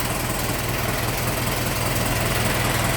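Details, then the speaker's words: 1915 Ford Model T Roadster, hand-cranked, warming up, throttle backed off: steady low putter about two and a half beats a second, even, no knocks; healthy normal idle. "Yeah, it's been a very nice, smooth running little T."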